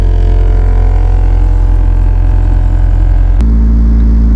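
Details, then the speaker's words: Honda Civic EJ9 with a D15B VTEC swap, just fitted with eBay billet lower engine mounts to replace worn mounts that caused throttle jerkiness. A heavy booming drone and throbbing pulse rattle the panels and blur the wing mirror: excessive vibration through the solid mounts. "I cannot see out of my wing mirror because it's vibrating that much. My panels are rattling."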